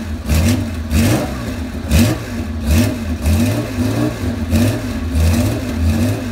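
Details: Porsche 911 SC 3.3 wide body, about 35 years old, M&K exhaust headers and PMO carbs, cold: rough blips, stumbling between revs with sharp pops on overrun; backfiring, smells rich, cause unconfirmed, runs smoothly once warm.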